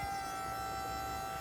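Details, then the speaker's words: Vauxhall electric power steering pump on Metro 6R4 replica, run unloaded: steady high jet-like whine holding one pitch; running as it should, untested under load. "Haven't really run it up too much. Jesus, it's like a jet fighter."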